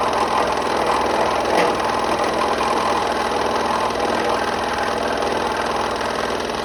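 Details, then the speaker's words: Restored 30-year-old Delta P-20 scroll saw, unmounted on cardboard, cutting: fast, even buzzing chatter holds steady, no knocks or binding; smooth cut keeping a nice line, though it pushes back a lot. "it smooth keeps a nice line let's make a sharp turn nice there doesn't snap back"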